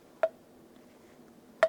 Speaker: and now the valve seat is also fine and I can install the valve into into the seat like that oh nice sound I love this sound of a perfect